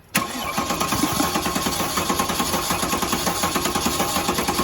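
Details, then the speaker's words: Porsche Cayenne S 4.8 V8 (M48.02) with misfire and check-engine light cranks without firing during compression test, steady even chug; about 18.2–18.9 bar on cylinders 1–3, compression OK. "então a parte de compressão Está ok"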